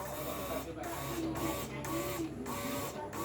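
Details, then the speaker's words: Repaired seized electric lift pump from a Perkins diesel genset, bench-tested on 12 V battery: small motor whirs steadily with a light repeating tick about twice a second; pump turning normally after repair. "Nah itu ada bunyi and Hai nada bunyi ya jadi dipastikan ini sudah I am berputar ya jadi dalamnya sudah berputar"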